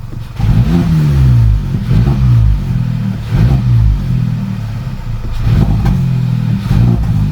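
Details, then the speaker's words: VW Polo 1.2 TSI after replacing the spark plugs, HT leads and throttle body to fix a rough idle and sticking revs. On repeated throttle blips the revs drop straight back to a steady idle with no hang or misfire. Normal rev return. "it's definitely not missing like it was and it's not sticking you do that it stick in a it'll stick up there it stick like that the revs are coming straight back"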